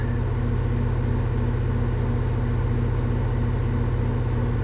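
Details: Goodman heat pump outdoor unit during maintenance, just switched on: compressor draws 6.2 A and condenser fan 1.3 A, rated 1.5 A. A steady low hum with faint even pulsing and no rattles, squeals or grinding shows normal running.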